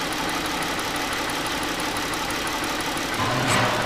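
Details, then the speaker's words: 2008 Ford Edge 3.5L V6, rough idle, no power, check engine light, electrical burning smell; cylinder drop test at idle: visible shake, lumpy beat unchanged with this coil unplugged, so that cylinder was already misfiring/dead; suspected melted ignition coil or faulty PCM. "I don't know if you can see that shake it's definitely misfire and that one's unplugged"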